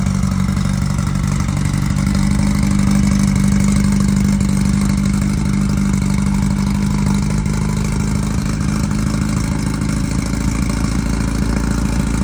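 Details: Early 1968 rally VW Beetle, freshly built 1776cc air-cooled flat-four on first start and break-in run after install, about 95°F ambient. Steady low even rumble, smooth rhythm, no knocks or ticks: normal break-in run.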